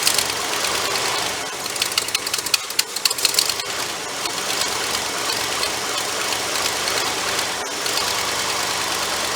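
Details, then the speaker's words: Ford 390 V8 running again, electric choke suspected not working: lumpy, uneven idle with hiss and breathy chuffing; massive vacuum leak at a hole behind the carburetor plus heavy blow-by. "now while she's running idle probably not massive vacuum leak on the back of that on the back back here somewhere i got to dive into that well fellers she did crank and run for a minute massive amounts of blow by i could see it blowing out of there"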